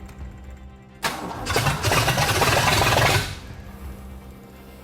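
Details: Ford engine first start-up with a replacement carburetor and no fuel pump hooked up: it catches roughly for about two seconds and dies. More timing is suspected; an earlier Holley Street Avenger's stuck accelerator pump arm pointed to a fuel delivery problem.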